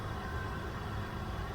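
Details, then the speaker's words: 2001 Toyota Avalon XL with the 3.0-liter V6 at 366,000 miles, timing belt done, at idle: a faint, smooth, even low hum with no knocks or ticks, barely audible over the cabin. Normal idle. "You can't hear it run. I mean, what did you expect? The good old Toyota 3-liter V6, man. These things run forever."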